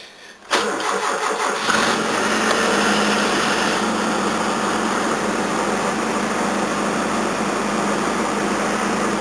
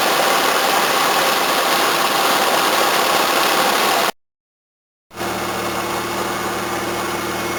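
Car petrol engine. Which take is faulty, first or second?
first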